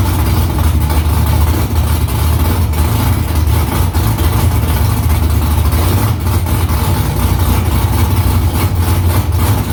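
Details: V8 idling steady and throaty with even firing and no ticking, knocking or stumbling, on first start after about three weeks of work with newly installed headers and exhaust back under the car. Inside it sounds louder with exhaust vibration under the seat. Smoke is drying header silicone.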